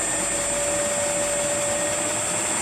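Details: Rebuilt circa-1940 Hercus lathe after static balancing of the spindle pulleys to cure heavy vibration, spindle stepped up through about 900 rpm: steady, even whirr with a clean high tone, no knocks or rumble; smooth and balanced.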